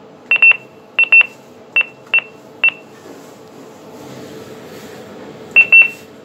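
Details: Kone Ecodisc lift, Inverness Royal Academy: sharp, high-pitched warning beeps in single and double bursts at irregular intervals over a quiet background; cause unknown.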